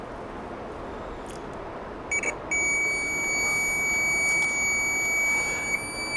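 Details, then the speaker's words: Piezo buzzer tested on its own with a Chinese multimeter: a couple of short chirps, then a steady, clear high-pitched beep, showing the buzzer works. "ya sabemos pues que está bueno porque está pitando sabemos que está bueno y también podemos escuchar el tipo de sonido que emite el que traen los multímetros"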